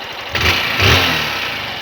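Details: 160 cc motorcycle engine at about 15,000 km: small catches and blips, then an uneven mechanical clatter over the idle; owner says all 160s have this noise. Abnormal engine noise at idle, cause unclear.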